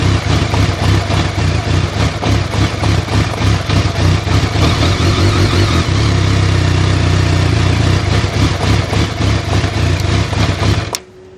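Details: BMW K1200S motorcycle that won't start without throttle: rough, uneven beat only while throttle is held, dying at once when released; it will not idle.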